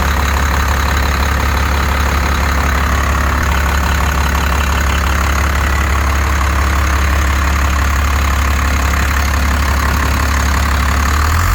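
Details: 1st Gen 12-valve Cummins truck after its injectors were rebuilt and reinstalled with pop pressures around 3,700 and good spray, chatter and leak-down: even diesel clatter at a steady idle, picking up slightly at the end, no misses; healthy.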